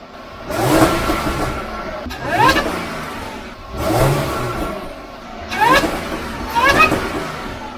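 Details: Supercharged Jaguar F-Type after fitting a RAM Air open cone induction kit, stationary free revs: exhaust rises and falls with a climbing supercharger whine riding over it each time; healthy.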